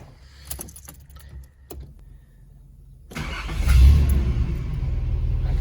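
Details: 300Z with manual gearbox, after its knocking noise was traced to the catalytic converter and the converter was replaced: key and cabin clicks, then the engine catches and settles into a steady, even idle. Normal start and idle.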